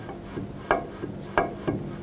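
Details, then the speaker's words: 2008-2010 Ford F-250 rear wheel, after outer wheel bearing replacement, rotor spun by hand in neutral: soft faint brushing swish once per turn; parking brake shoes barely touching rotor hat, correct adjustment with no drag. "what you can hear there is the e-brake shoes kind of just barely touching the Hat of the rotor here and that's what you want you don't want any drag on them"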